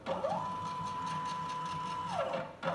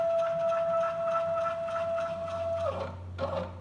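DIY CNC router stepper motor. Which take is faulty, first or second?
second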